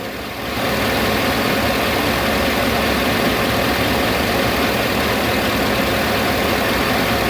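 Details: 2008 Chevy Avalanche with an idle-only misfire and P0300 code, cylinder 1 dominant: steady idle with a faint uneven stumble. The cause was a bad spark plug with cracked porcelain; moving the plug moved the miss.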